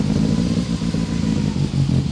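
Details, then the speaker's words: BMW E30 M3 with a freshly rebuilt S14 engine at first start, running a little rich: low, lumpy, uneven burble as the throttle is blipped, with no steady idle beneath. Cause unknown; an idle control valve issue is suspected. "so it's not idling very well we have to figure that out and understand what's going on with the idle"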